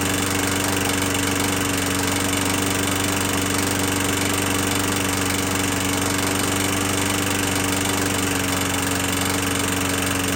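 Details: 21-inch Murray 125cc single-cylinder push mower after valve adjustment, oil showing metal sheen: constant drone with faint uneven pulse about four times a second; still rough; owner suspects internal damage, possibly from running without breather cover.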